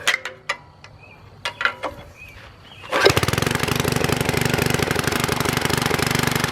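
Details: Troy-Bilt Super Bronco tiller, bought locked up, possibly stuck reels, now repaired with exhaust warm: a few taps, then the small single fires and settles into a quick, even putter with no misfires or rattles; normal running.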